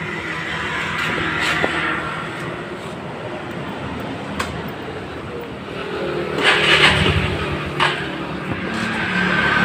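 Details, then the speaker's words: Suzuki Spin carbureted scooter: idle won't settle, revs climb and fall on their own every few seconds, sometimes stalling; unstable hunting idle, cause suspected in carburetor, unconfirmed. "Kelihatan ya, di sini tidak mau langsam. Nah, ya, langsamnya besar sendiri ya, dan ini kecil sendiri."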